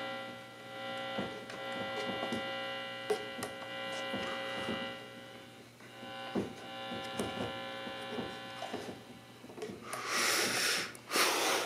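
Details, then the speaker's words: Mains hum from a prewar (owner suspects 1937) Multivox Premier 50 tube amp with field coil speaker, 6SN7 preamp, 6V6 power and 6X5 rectifier; switched on with volume and tone fully down, steady low buzzing hum with overtones, a few clicks and hiss. "It's on right now, it's quiet. The volume and tone is all the way down. You can hear it humming all the way"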